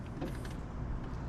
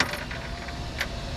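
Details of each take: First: 2003 Jeep Grand Cherokee passenger-side window, before regulator replacement: low motor drone straining while glass barely moves, jammed; motor works but regulator, thought to be a plastic cable drive, is broken, blamed on Arizona heat and cold. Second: 2003 Jeep Grand Cherokee passenger-side power window after window regulator replacement, key on: switch click, smooth even motor hum about three seconds, clean stop; window now works normally.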